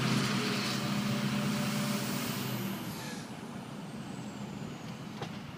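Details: Ford F250 6.0 Powerstroke diesel pulling away. A high turbo whistle rises with throttle over the diesel rumble, then fades off; a normal, healthy turbo spool.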